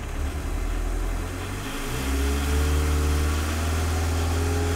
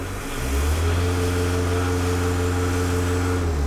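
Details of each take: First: MK1 VW 1.6L turbodiesel with VNT turbo, standard control version restored after optimized version pulsed: revs up to smooth even drone, no rhythmic surging; drive pressure target 7 PSI, holding about half PSI exhaust pressure; boost control normal. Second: MK1 VW 1.6L turbodiesel holding steady high revs: slow, uneven surging swell in the drone, boost pulsing as the VNT turbo vane control actuator hunts.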